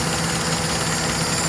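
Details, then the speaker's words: Suzuki G15A petrol engine, carburetor-fed with an added electric fuel pump, idling with an uneven stumbling beat from a big misfire, one cylinder not firing; carburetor overflow issue linked to the missing fuel return line. "අ මේකේ තියෙනවා ලොකු miss එකක්. ඔයාලට පේනවා ඇති engන්ම ගෙදරනවා."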